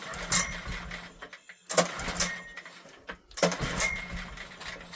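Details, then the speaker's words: Old Honda generator, barn find stored 20 years, air filter missing, petrol poured straight into the carb: short firing bursts that catch and die, repeated cough-and-stop; spark confirmed, carb issue from long storage suspected. "Let's put a bit of petrol straight in the guts of the carb. Trying. She's trying."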